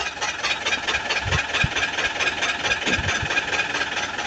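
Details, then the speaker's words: LG Inverter washing machine in spin. A rhythmic scraping rattle comes round about twice a second over the spin whir. A foreign object is confirmed inside the drum; the water filter checked clear, so the drum must be opened. "Okey set off. Confirm ada benda something. So jalan penyelesaiannya kita perlu buka dia punya drum ni."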